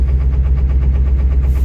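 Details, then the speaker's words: Ford 7.3 diesel truck, very cold start unplugged after sitting in snow: heavy lumpy idle thump about eight beats a second; rough idle, owner suspects gelled fuel, not confirmed. "almost acts like it's the fuel's gelled up on it or something i put 40 dollars in before i parked it that sounds exactly like jailed fuel i bet it is"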